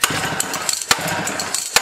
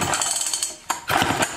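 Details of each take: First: 1959 Clinton chainsaw started with choke off and throttle held open: ragged firing bursts that stumble, drop out and catch again; sputtering and stalling, fuel starvation suspected, not confirmed. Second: 1959 Clinton antique chainsaw, pull-cord cranking with crisp rhythmic puffs and firm pauses between strokes, indicating good compression by feel before a compression gauge test.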